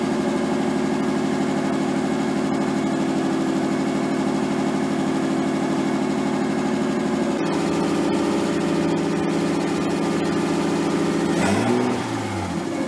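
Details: Nissan 240SX S13 with swapped RB20DET, first start after over a year sitting, once power was fed to the wire down by the ECU: steady, fast, even idle hum with one throttle blip near the end. Idle is way too high and AFR unset; might be burning a little oil.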